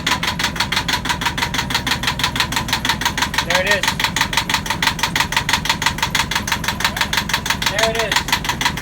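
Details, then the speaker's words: Yanmar marine diesel on a sailboat at its first start after fresh diesel, new batteries and priming: steady, even clatter at about three beats a second with no misses or knocks, a healthy idle. It ran about five minutes, then stalled from air in the fuel lines. "so yesterday we get the engine started and it ran for about five minutes happily it sounded great"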